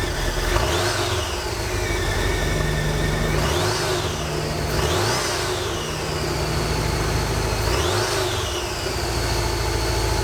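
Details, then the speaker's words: 1986 Volkswagen Vanagon Westfalia automatic; engine believed to need a complete rebuild, after a couple minutes it misses, smokes a lot and runs rough. Several blips falling back to a ragged, unsteady idle; rough running, cause suspected. "after a couple minutes of running it starts to miss smoke a lot runs pretty rough"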